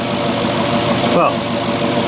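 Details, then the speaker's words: Porsche Cayenne Turbo 955 engine idling after a boost leak was repaired with silicon hoses and a tee: even, settled idle hum, no ticking or hissing air leak; sounds a lot better, normal idle. "let's just see if it's made a difference now sounds a lot better than it did"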